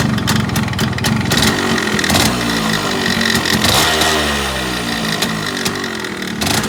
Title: Engine noise issue in RX135 #rx135 #automobile #yamaha